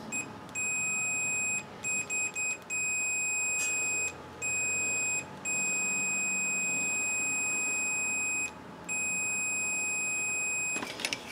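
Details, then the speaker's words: KitchenAid dishwasher that has power but won't start, main power switch tested for continuity after Deoxit cleaning: clean high-pitched multimeter beeps show the switch conducts, so it is not the problem. "interesting so main switch is not the problem all right so that's good"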